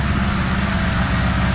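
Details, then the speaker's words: 1975 Honda GL1000 Gold Wing flat-four, cold, after water pump gaskets and O-rings replaced: steady idle a bit high because choke still on, even low beat, no misses; no leaking, much less smoke. "Idling a bit high, but the choke's still on."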